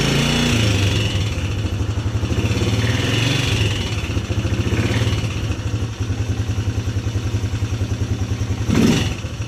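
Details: 2010 Polaris Sportsman 300 ATV, said to need full maintenance: after starting, an even single-cylinder thump at about three and a half beats a second with no clatter; runs healthy.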